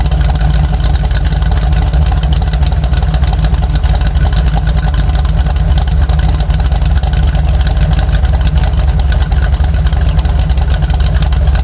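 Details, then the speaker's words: Jeep with Comp Cams cam and EFI setup, daily-drivable: loud, deep, steady idle with choppy lope of about three pulses a second, even throughout; healthy big-cam engine, normal lopey idle. "This cam is perfect for that, especially with the EFI setup. It's just you can daily drive this thing all day long. It sounds awesome."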